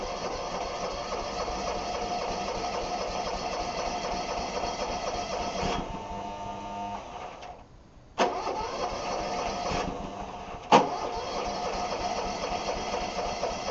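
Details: Vintage John Deere RX75 riding mower, deck belts and pulley recently replaced: small engine hums steadily, drops away, then catches sharply with a couple of bursts and settles to a smooth run; normal start, nothing amiss.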